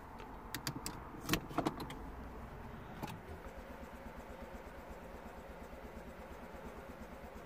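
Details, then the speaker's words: 2009 Smart Fortwo 451, 1.0 L petrol 71 hp: after key clicks it cranks quietly and steadily about three turns a second with no sign of firing, tried with both keys, lights flashing. Crank no start. "crank no start I can't even feel any signs of tried to firing is just rotates that's it cranks no start"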